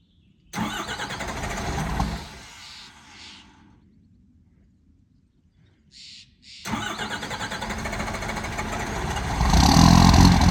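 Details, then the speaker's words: 1985 Ford F250 with 12-valve Cummins swap, about 24°F overnight cold start, no grid heater, timing turned up, air leak at overflow valve: long labored cranking, then catches into a rough diesel idle; hard cold start. "it has a small air leak from the overflow valve i need to replace that so it's gonna it's gonna do a pretty good hard start and then probably die and then start again so we'll see what it does not now"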